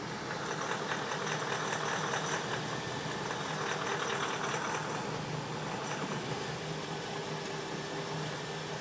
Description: BMW X5 4.8is ticking noise